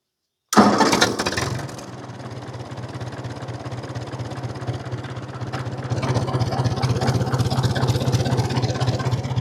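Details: 1950 Ford 8N tractor straight four after cleaning filthy spark plugs, in neutral: fires on first crank and settles into a slow, even idle about 300 rpm with no stumbling; normal idle.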